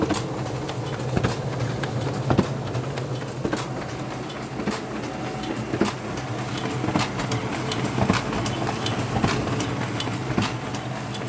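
Sharp clicks, roughly one a second and not quite regular, over the printer's steady running rumble; a mechanical clicking fault, cause unknown.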